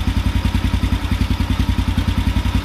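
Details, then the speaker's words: Carbureted motorcycle after the idle drop procedure is finished, with the idle mixture screw at its plateau sweet spot. It holds an even, steady idle with regular low firing pulses and no stumble or hunting; the carb is dialed in, running well. "all right so that's it I don't drop procedure is done it's running phenomenally where I want it to be at"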